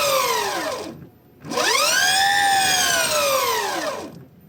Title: suara belt mitsuboshi setelah terpasang